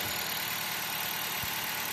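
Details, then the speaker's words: Low-mileage ex-fleet 2013 Dodge Avenger just after oil pan replacement and refill: steady, somewhat buzzy idle, even beat, no knocking or ticking; spilled oil burning off the exhaust; no leaks seen from the new pan; normal idle. "Runs pretty good. These aren't the quietest engines to begin with, so it's a little buzzy, but I think these all are. Sounds pretty good."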